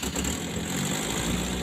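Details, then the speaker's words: Colt T120 that starts poorly, idling before repair: an uneven, lumpy, shaking idle that feels ready to die at low throttle, as if a plug is dead; ignition points gapped too narrow, giving unstable spark. "Jika pedal gas ditekan rendah, sepertinya mesin akan mati, kawan-kawan. Dan mesinnya bergetar, ya."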